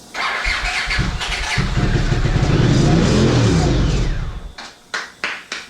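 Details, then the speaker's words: 1982 Honda CX500 Turbo not run in 25 years, new fuel pump installed, injectors removed; on sprayed brake cleaner it catches and revs roughly a few seconds then sputters out; no fuel delivery from clogged injectors, fix is cleaning them. "Clean those injectors and this thing's gonna run."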